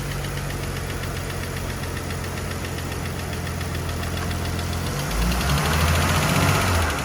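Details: Engine motor mount check while power-braked in gear and reverse: steady idle with a quick regular knock, then a heavy thump and surge under load as the engine lifts on a broken motor mount.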